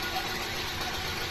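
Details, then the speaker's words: Suzuki SX4 that cranked but would not start, now repaired: the petrol engine idles normally, quietly and very smoothly, with no shake, misfire or stumble. "Normal naman nasa sobrang tining pa nga ng makina napaka smooth anan oh kahit konting alog Wala eh sobrang tining"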